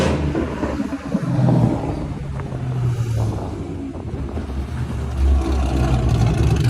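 Deep, even low rumble with steady firing and no tick or tap riding on top; a healthy, smooth idle.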